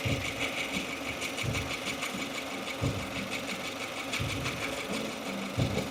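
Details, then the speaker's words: 2015 Subaru Forester, warm idle out of warmup mode: uneven bursts of light chatter a few times a second, not keeping time with engine rotation; new since days before, owner suspected lifter or rocker roller issue; source unclear. "it's like a little bit of [Music] chatter it's not constant with engine rotation which is [Music] weird"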